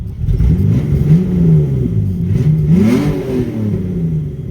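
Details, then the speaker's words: 1997 Mitsubishi 3000GT SOHC after fuel injector swap and fuel pressure regulator adjustment; idles smooth, but revs climb from idle with a brief stumble and uneven pull, a small hesitation on tip-in, cause still unknown, though much improved. "It's got a small hesitation when you hit it from idle. I don't know what that is still. But a lot better."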